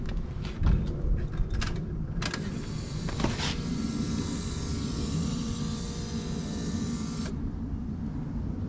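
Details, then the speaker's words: Project Zero build after its replacement fuel pump died and was replaced again: steady electric hum for about five seconds, then clean cutoff while priming before starting; pressure builds and no leaks seen. Normal fuel pump priming. "all right so now I'm just gonna try and prime it and then fire it so a quick Prime all right so you heard we got pressure I don't see any leaks"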